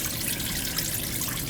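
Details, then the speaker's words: Central AC air handler that iced up from lack of airflow because a blocked, uncapped condensate drain left it full of water: continuous trickle and splash of water draining out, no airflow noise. "I could hear the water when I first came here. Glug, glug, glug, glug, glug, glug. Still leaking, yeah."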